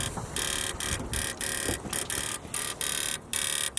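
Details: Subaru WRX in freezing weather after rain, keys in the ignition: sharp buzzing bursts about twice a second with short silent gaps. Owner links it to an earlier breakdown; source not found. Recurring relay-like clicking buzz.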